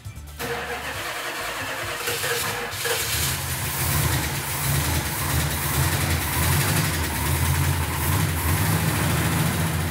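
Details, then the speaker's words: 1970 Plymouth Superbird V8 first start after three decades sitting, firing order double-checked, fresh 98-octane fuel and antifreeze: cranks and catches within a second, then settles into a steady, even lumpy idle with a deep low rumble; healthy. "when Mark gotta started it sounded really nice I couldn't even hear it I was in the other room I couldn't hear it when it started"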